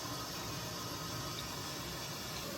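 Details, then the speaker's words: EcoWater R40 3002 water softener revived from an abandoned house and rebuilt with a new venturi, switched to backwash at 1.8 gallons a minute. A steady, even rush of water with no gurgling, surging or knocking; the backwash flow is healthy. "1.8 gallon a minute for backwash"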